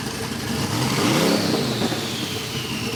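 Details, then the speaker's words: Twin-turbo VK Calais V8 after injector and pushrod fixes, before its tune, with a loud exhaust: rough loud idle rising into a quick rev and settling, no knock or tick. Healthy. "I think it actually is that yeah it is it is it's not quite supercharged big block loud but it's it's loud"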